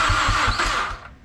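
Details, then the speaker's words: Mazdaspeed6 after installing and programming a new PCM and keys with FORScan: a steady cranking beat at about five pulses a second that never catches, with occasional kicks, pops and exhaust backfires; it cranks but won't start. "Well, guys, I feel like we're getting close, because I've never heard it try to kick like that a couple times, and we're getting more pops and, you know, burble backfires in the exhaust every couple cranks."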